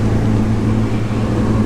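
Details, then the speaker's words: 1997 Honda Civic hatchback, about 24,000 km, warming up after a cold start: a steady, even low idle with smooth firing and no knocks or ticks. The engine sounds good. "the engine actually sounds amazing"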